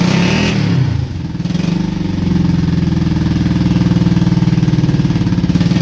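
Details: Honda Shadow V-twin (about 20k miles on the same oil, parked 4 years, Seafoam in oil) idles lumpy and uneven, charging but not firing right on the front cylinder after a backfire; owner suspects sticking valves from no oil changes.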